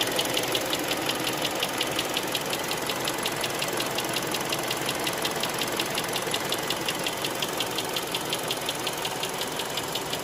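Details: Hyundai Creta 2.0 warmed-up engine at idle, bonnet closed: steady, light ticking knock about three per second; knock comes and goes between days, cause not identified.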